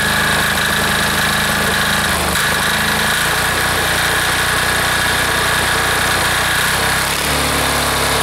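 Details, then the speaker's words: Air-cooled diesel engine just reassembled, even clatter settling through a few speed steps with no knocks or misses; normal running. "okay well it seems to be running pretty smooth there"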